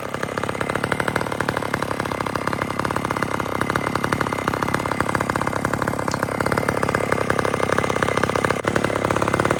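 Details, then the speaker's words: McCulloch chainsaw during felling: rapid, uneven two-stroke buzz that stumbles and surges, running rough; saw also has a clutch issue. "Listen to that saw run. It's got a clutch issue, too."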